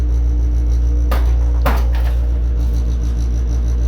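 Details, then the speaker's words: Worcester Greenstar 27 CDi combi boiler, central heating on, low hum with a repeating rough rasping, rubbing pulse and sharper scraping bursts; sporadic for about four years, pressure nominal, stops after running a hot tap; cause unknown. "my boiler makes a periodic strange noise this is"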